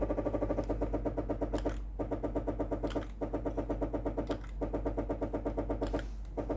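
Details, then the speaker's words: Philips GC7051 steam generator iron, heated and ready: the water pump pulses rapidly, several beats a second, but no steam hiss follows. Water isn't reaching the heater because the steam hose has failed. "la pompe à eau qui fonctionne. Mais la vapeur ne sort pas par l'avant du poêle."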